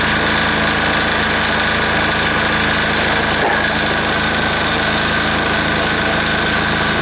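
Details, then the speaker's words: Air-cooled diesel engine just reassembled, run at full throttle: steady diesel clatter at fast idle, slightly uneven and hunting; rough running, seems starved for fuel, cause suspected, not confirmed. "okay still sounds like it's starving a little bit for fuel I'm not going to let her sit there and run like that as long as the will anyway"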